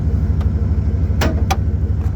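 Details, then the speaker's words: '98 Dodge Ram 1500 running without a muffler: heavy, loud low rumble with a steady pulsing, throaty beat at idle. "I think it sounds wonderful I wonder if the neighbors think the same"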